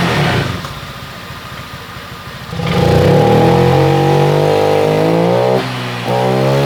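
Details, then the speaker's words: Honda Vario 125 LED scooter after a new fuel pump filter was fitted; revs still sag and stumble before picking up, with poor response. The fuel pump pressure is judged very weak. Throttle hesitation from low fuel pump pressure. "oke kawan-kawan ternyata permasalahannya Tetap sama seperti yang tadi masih merebet Hai responsifnya kurang"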